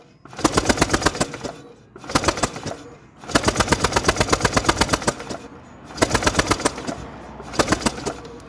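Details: Honda PCX150i scooter that won't start after sitting a long time, battery charged. Five bursts of fast, even starter clatter, each dying away after a second or two without the engine catching. The plug shows spark; the cause is not yet found.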